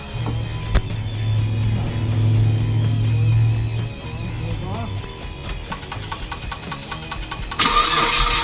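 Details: 2008 Mitsubishi Eclipse automatic, flat-towed in with a dead battery, customer says it starts then dies: uneven cranking, catches briefly with a low hum, then stalls within seconds; cranking sounds like low compression on one or more pistons.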